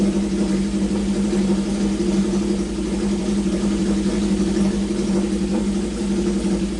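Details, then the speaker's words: Honda CB750 four-cylinder, revived after sitting with points filed, coil fitted, carbs cleaned, oil drained to proper level: smooth even idle hum, steady pitch, no skips, all four firing, no big smoke, good compression; normal idle. "it ran on all four cylinders there wasn't a huge plume of smoke you know it's got good compression"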